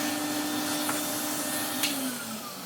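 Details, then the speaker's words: 1993 Henry HVR200 vacuum after full restoration, motor top end refurbished and bearings greased: steady high motor whine with even airflow rush, then gentle wind-down; healthy motor hum. "I used to hear this sound humming away in shops when I was a kid"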